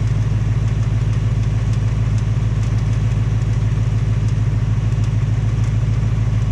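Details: 2018 Ford Mustang GT on its second engine, only 1200 miles, steady V8 idle with a light regular tick about three per second keeping pace with the engine; possible piston slap or Coyote tick; Ford is installing a third short block.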